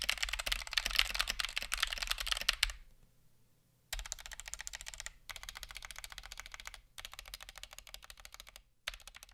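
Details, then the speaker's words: Stock, unmodified Punkston TH61 keyboard with optical switches: quick bursts of sharp, almost clicky strikes with loose rattle per press, from switches wobbling in the plate; switch or plate fault unknown. "I’ve definitely heard optical switches that sounded way worse. It sounds almost clicky, which is due to the rather significant wobble the switches have in the plate."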